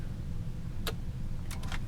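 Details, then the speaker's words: Realistic STA-2080 amplifier during repair, transistors replaced; relays would not pull in until full voltage was applied, then over a low steady hum one sharp click and a quick cluster of clicks as the speaker protection relays engage normally. "oh they clicked do you hear that you can see it right down here maybe okay so that's all it was"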